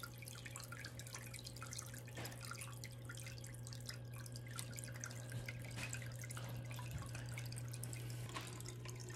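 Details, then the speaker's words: Sicce Syncra Silent 0.5 pump replacing the cracked, noisy original on a Waterbox 15-gallon aquarium; quiet steady low hum under trickling, dripping water, no rattle or buzz; normal running. "so since i made that video i've moved this tank up to my office as you can hear it's much quieter than it used to be definitely more reasonable for the volume for an office workspace"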